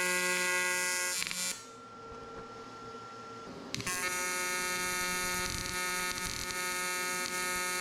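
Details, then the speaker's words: AC TIG welding aluminium for a new skeg on a 40 hp Honda outboard lower unit: the arc buzzes unevenly with irregular crackles and a dropout, a wandering arc. The plan is to regrind the tungsten and ensure a good ground. "a all right well we'll go ahead let that cool down again and you could hear that Arc sounded really erratic so once everything's cooled down I'm going to go ahead regrind that tungsten make sure I have a good ground it uh it should sound more consistent buzzing but you can hear that crackling of uh of a Wanderi"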